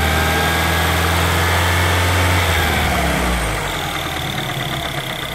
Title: R56 timing chain noise after replacement